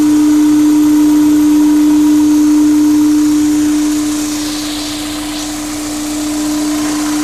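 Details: Intake humming on a Honda S2000 fitted with a K&N intake: steady mid-pitched hum level over the engine drone; owner unsure whether it is normal, cause unknown.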